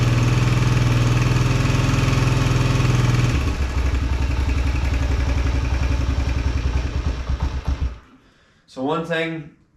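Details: 2021 Suzuki DRZ 125 after carb rejetted to 100 main jet, fuel screw 2¼ turns, fuel changed, choke held up: steady thumping idle, but the beat stumbles and sags when throttle opens; bogging on acceleration persists, cause not yet found.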